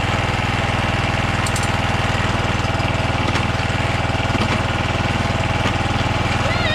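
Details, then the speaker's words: John Deere JX75 walk-behind mower after drive cable and clutch lever replacement, restarted with the spark plug refitted. Even, steady single-cylinder putter at about four beats a second with no misses or knocks. Normal running. "Alright, she worky. Awesome."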